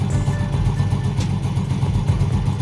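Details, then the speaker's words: Yamaha Vega R motorcycle in first gear with the brake held, after the worn one-way clutch set was replaced. A steady, even, low engine beat; the earlier whirring friction noise from the clutch housing is gone. "dengarkan untuk suara werwernya di bagian bak kopling sudah hilang"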